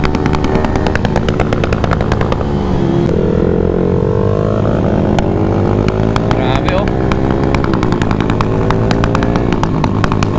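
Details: Automatic scooter with an aRacer ECU tuned for rolling backfire, on the center stand at open throttle: rapid sharp pops and crackles over the revving exhaust, on and off throttle; deliberate backfire from the ECU tune.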